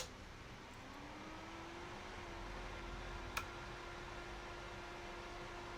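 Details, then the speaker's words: Carlsbro Powerline 300 amplifier after fan replacement, first switch-on: soft low hum rising as new fan spins up, then quiet steady whirr; much quieter than the old fan, healthy. "Okay. Well, it's putting out a nice breeze. That's certainly a lot quieter than that last fan."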